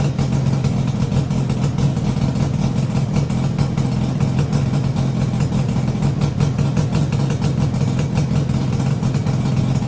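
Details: Yamaha RD350 YPVS F2 two-stroke after a full rebuild (bearings, seals, rebore, plugs loose on the first run, since fixed): steady, even, quiet idle with no knocks or hunting; healthy.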